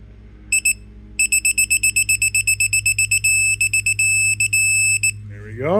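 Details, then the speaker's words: Honda CL90 nuts torqued in cross pattern to 15 ft-lbs (spec 14–18): digital torque wrench gives two short beeps then rapid beeping merging into longer tones at target; red light means stop. "that's hit 15 my gigantic torque wrench I use this on a Tahoe when I was doing the heads and you just stop right there red light means stop"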